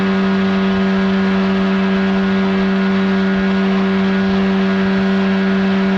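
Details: 1979 Evinrude 35hp two-stroke outboard on the water after adjustments; it earlier failed to reach wide open throttle. Insulation recently added. Now a smooth, unwavering drone at one pitch under load, no misses or stumbles; running normally.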